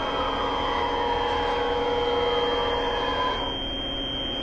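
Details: Bridgeport 3-axis CNC mill running the final part program: even whirring with a steady high whine from the drives and a mild change in tone as the axes move. It runs smooth and healthy.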